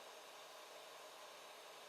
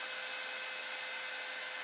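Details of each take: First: Quiet 80mm Silent 8 fan fitted to a 3D printer's 24V-to-12V buck converter in place of a noisy AMD CPU fan: faint, even airy hiss with no rattle, tick or wobble, spinning smoothly and quietly. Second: 3D printer 24V-to-12V buck converter cooled by an AMD CPU heatsink fan, running loud: constant high-pitched whirring hiss with steady whining tones, no low rumble; this noisy CPU fan is planned to be replaced with an 80mm Silent 8 fan.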